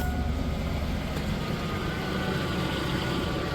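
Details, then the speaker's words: Truck (2002 or '90 Chevrolet Silverado) started before driveshaft install, primed: smooth steady idle, even low rumble, no misses or stumble, no leaks; normal running. "she's a runner. Not a liver. A runner."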